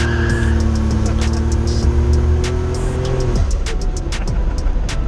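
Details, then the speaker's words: Boosted car after the cam sensor fix, with the OEM module fitted that cured cutting out at 4,000-5,000 rpm: wide-open pull, 9.8 air-fuel ratio (very rich), note climbs cleanly and evenly then drops off as throttle closes; strong healthy pull. "She's boosted fine. She's hammering down. I think we demonstrated that with the pulls we did."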